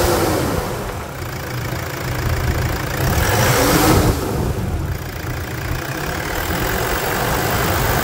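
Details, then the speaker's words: Toyota Hilux 3.0 diesel after contaminated-diesel damage, injector replacement and decarbonization: even diesel clatter at idle with one brief rev settling back smoothly; healthy, steady engine after repair. "vamos escutar melodia para encerrar escuta melodia desse motor"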